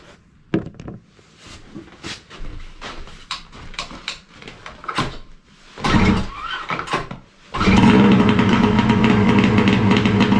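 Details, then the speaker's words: 2011 Arctic Cat Crossfire 800 HO two-stroke snowmobile after top-end repair, cold start at almost minus 20: fires on first pull after some handling clatter, settles to a steady even idle with no knocking. "Starts pretty good. It's actually freezing cold here today. We're talking like almost minus 20."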